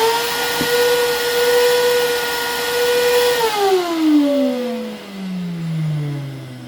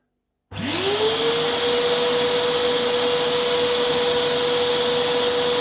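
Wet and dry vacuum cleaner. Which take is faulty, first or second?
first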